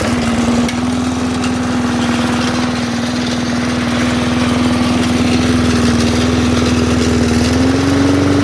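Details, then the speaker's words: Old MTD aluminum-deck push mower with a Briggs Classic flathead, kill switch wired into the throttle: steady, even single-cylinder beat with a clean tone and a slight rise near the end. Normal running. "sounds like a good mower though I can't do anything with it right now because it's almost January"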